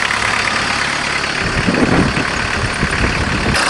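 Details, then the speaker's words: VW Jetta diesel-converted van with a mechanical injector pump, high kilometers, just started after hand-priming the pump; cold idle with loud rattly clatter at a steady even beat; typical cold diesel knock, running normally. "perfect they sure are noisy when you're cold"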